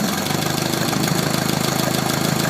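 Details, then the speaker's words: 1972 Atomic 4 marine gasoline engine, ~1,000 hours, temporary fuel pump: smooth, even low idle with steady quick pulse, no knocks or rattles, 40 psi oil pressure; normal idle. "you're running 40 pounds of oil pressure on this. So there's the beast."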